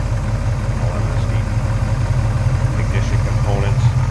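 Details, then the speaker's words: 1969 Chevrolet C10 with bored-out 454 V8, Edelbrock four-barrel, headers, MSD ignition, hood open: deep, even idle rumble, steady with no skips or ticking; runs smooth and healthy. "this and how smooth that runs look how smooth that runs"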